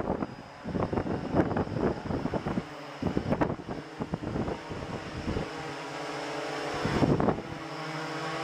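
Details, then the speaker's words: Blade 350 QX quadcopter after replacing motor four's bearings with ceramic bearings, brief test hover at night: motors spool up in uneven bursts, then settle into a steady, even hum with no grinding or rattle; bearings sound healthy, normal hover. "I'm going to hover it for a few seconds and then I'm going to set it back down just so you can see that everything is uh everything's right as it should be"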